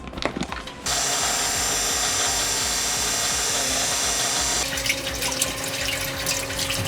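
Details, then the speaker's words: Spectra Catalina 400 watermaker with new Spectra mag drive pump: feed pump and high-pressure pump running normally, steady whirring hum with faint rhythmic piston-like thunks, producing fresh water. "The pump is working, the feed pump's working. This pump, this high pressure pump is working. You can hear it, listen, thunk. High pressure pump, thunk. It's like a piston, thunk."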